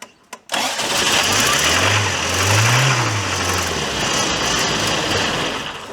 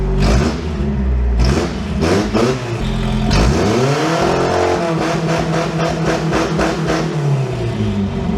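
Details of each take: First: Toyota 4Runner left sitting 10 years: after a hammer tap it catches and runs roughly for a few seconds with wavering revs but won't stay running. No oil pressure shown (gauge may be broken), and the fuel filter is mounted incorrectly. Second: Toyota 4Runner left sitting 10 years, after a fuel pump replacement and a new, properly crimped main wire and connector: engine catches and revs cleanly with no misses; owner suspects the main wire's low voltage was the cause all along.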